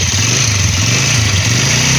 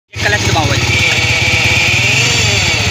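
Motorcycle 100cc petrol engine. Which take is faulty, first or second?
second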